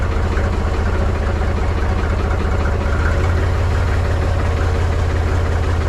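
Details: Mahindra 3525 tractor diesel, cold start at 19°F after about 1.5 months unused, battery a little low: low, uneven chugging at idle with irregular beats; rough cold idle that smoothed out a few minutes later.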